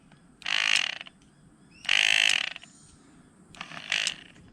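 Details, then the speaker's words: Ford Territory SZ driver-side blend door actuator, powered up manually on the bench: bursts of rapid high-pitched ratcheting clicks because its gears are stripped and the motor cannot drive them. "so from what I can see is that um these gears over here they are totally grinded so the motor is unable to drive these gears"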